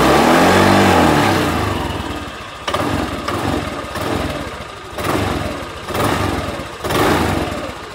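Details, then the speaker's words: Honda Vario 150 scooter at 93,000 km, after an oil change to a Bimoli cooking-oil mix with a little Shell Rimula R4X: a smooth idle with quick throttle blips, revs rising and falling cleanly with no knock. The owner says it still sounds smooth and normal. "Nah sudah Mbah sudah saya matikan ini suaranya masih halus tetap enteng tetap normal performa enak sarikan enteng"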